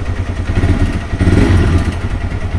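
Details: TVS Raider 125 after repairing the starting problem and reconnecting the pulsar coil: self-starts and settles into a steady, even low single-cylinder thump with no misses or knocks; healthy idle.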